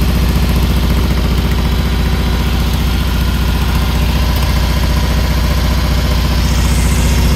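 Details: Newly built 1680dp engine during break-in at idle; sharp even chuff on every firing pulse, louder than a sealed exhaust; big exhaust leak, location not pinpointed.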